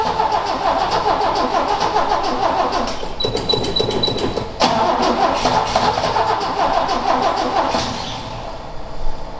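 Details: Ford XA Falcon wagon, long parked outside with unknown history: fast cranking with uneven sputtering catches that never settle into idle; seems nearly out of fuel (suspected). Cranks and sputters, won't keep running.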